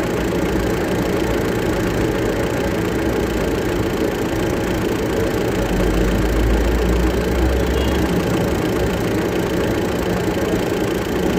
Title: CHECK ENGINE KNOCKING|HINO|AJM TV